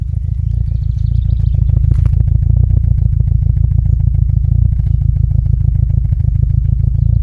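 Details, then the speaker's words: VW T4 at idle: a lumpy idle whose steady clatter stumbles with uneven, missing beats every few strokes, and a flashing warning light. Slightly better when revved, but the misfire returns once it drops back to idle. "horrible misfire"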